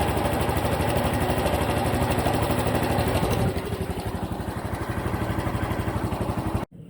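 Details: Honda Cub Pro after oil change meant as fix: small single revving then settling with uneven thumping pulse under the exhaust; abnormal engine noise persists, cause not pinned down.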